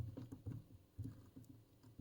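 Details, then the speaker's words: 1969 Philips PM5145 wide band generator, cover off, tuning dial turned on the brass variable capacitor: irregular soft clicks and ticks; owner suspects backlash gear or bearing, not confirmed. "I think there's something with this antique backlash gear here because it feels a little bit you can probably hear this it's not supposed to say click"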